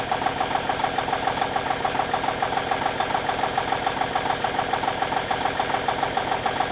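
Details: 1989 Kenworth K100E with a Cummins Big CAM IV diesel idling while warming up after a -6 °C cold start: crisp, very even clatter at about 207 beats a minute, a healthy idle.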